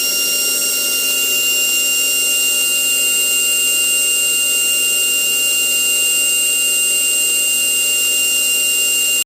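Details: GMN spindle, 90k: an even, very high-pitched whine holding one steady pitch with no rattle or roughness; the spindle is spinning cleanly at speed.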